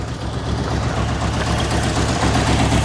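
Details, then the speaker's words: 1985 Merkur XR4Ti, first run after a broken inertia switch was found that kept the fuel pump from running: a low idle with an uneven, lumpy, wavering beat; rough idle, cause not yet found. "as you can see from the video there's a bit of a rough idle on it so I'll have to look into that and get that fixed up"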